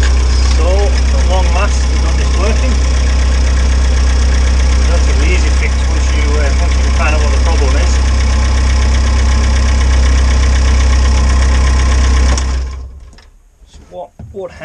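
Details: CAT 304 CR excavator after fixing an intermittent starter motor fault: diesel starts and holds a steady, even clatter for about twelve seconds, then winds down and stops; runs cleanly without faltering.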